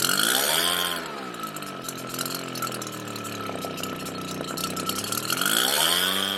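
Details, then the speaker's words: Redmax EBZ7500 backpack leaf blower two-stroke, cold start, before the carburetor was replaced; sea foam and cleaning did not help: engine speed swings up and down, runs, dies, surges and restarts; fuel delivery suspected. "here we go runs dies surges and starts"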